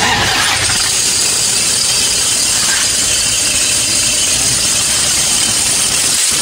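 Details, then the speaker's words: Toyota Fortuner diesel idling; a harsh, constant high-pitched squeak over the idle, the alternator's one-way (overrunning) clutch pulley, commonly failing on these diesels. "Nó kêu két két két thôi các bạn. Thì mấy cái dòng xe máy dầu á, cái mấy cái đầu dynamo á, nó hay bị hỏng cái con bu ly tự động các bạn."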